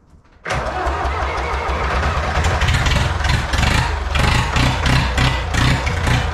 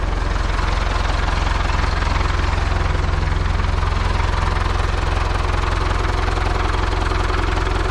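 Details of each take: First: Old IHC 844 diesel tractor started with a jump starter at about 0 °C in the cold: fires at once, runs loud and slightly uneven, then settles into a steady clatter. Hard cold start. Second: Old IHC 844 diesel tractor idling on a freezing day around 0 °C, after exhaust pipes were swapped from a 633: a steady, even chug with no knocks or misses, then a brief speed change. Runs like clockwork. Normal idle.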